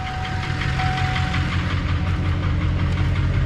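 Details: Duramax 2500 HD long-bed diesel, 229,000 miles, after start with glow plug light off: even steady idle with usual light clatter at a constant rate, no misses; normal healthy diesel idle.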